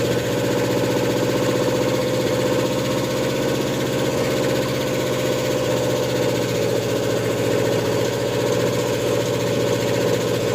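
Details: Ford F100 with a 302 (OMC 175 marine engine) and a Comp 268H cam during cam break-in: fast idle with a steady, busy clatter over the exhaust; valve train knock because the valves were lashed wrong, for the second time.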